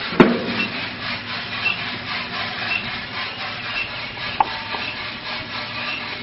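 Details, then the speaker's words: RK Drums 4 lb drum on a gas grill, just loaded with 4.75 lb green coffee at about 600 degrees and motor switched on; continuous dry rustle and rattle of beans rolling, no scraping or binding. Normal tumbling. "Let's go ahead and put this drum in and flip the motor. You can hear the coffee turning."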